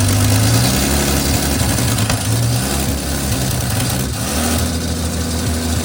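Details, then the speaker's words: 1955 Chevy 3200 truck after about 50 years sitting, first start with an insane amount of smoke and a rusted-out muffler: deep, lumpy idle with an uneven, wandering beat, less smoke now; rough idle after long storage. "Oh my god. It's idling. There's less smoke."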